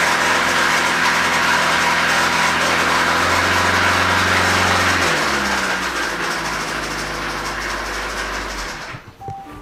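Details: 2017 Hyundai Sonata Hybrid, 88,000 miles, engine raised toward 1,000 rpm for an oil pressure reading: fast, light metallic rattle over the hum. Oil pressure is present and the phasers are locked, so a faulty timing chain tensioner is blamed for the chain rattle.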